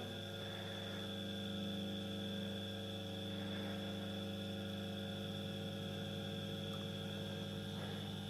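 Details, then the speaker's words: First small 230 V single-phase induction motor (1500–1800 rpm), unloaded, on a homemade variac at 300 V: steady low hum with constant tones, no knocks; a bit more vibration when pressed down on the surface, running normally. "I pressed it down a little bit on the surface yeah a little bit more vibration just as the with the previous one"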